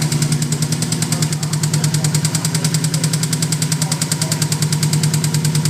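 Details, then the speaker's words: Subaru WRX 2.0 boxer, fully forged engine, idling after a car wash: quick tapping about eight per second from the middle of the engine; owner told it may be piston slap, unconfirmed; engine tapping. "start it you hear that tapping sound should it be there the sound is coming from about about here middle of the engine"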